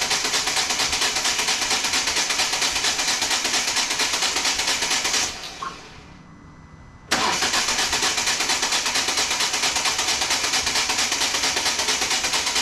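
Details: 2014 Volvo V40 D2 1.6 diesel (D4162T) cranks steadily at about two beats a second, pauses, then cranks again without firing after a stripped timing belt damaged the cylinder head; crank no start, cause still unknown.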